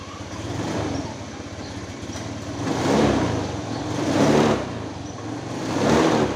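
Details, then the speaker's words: Honda Moove scooter after repair of stumbling, bogging and hard starting blamed on fuel pump pressure dropping; it idles evenly, then revs cleanly three times and drops straight back, no stumble or bog. "แต่ตอนนี้อาการคือเดินเบานิ่งนะครับเบิ้ลหายแล้วนะครับเออเบิ้ลวอดหายแล้วนะครับก็ตอบสนองดีนะครับได้หมดเลยนะครับ"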